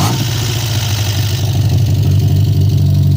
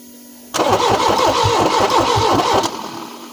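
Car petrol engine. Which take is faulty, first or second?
second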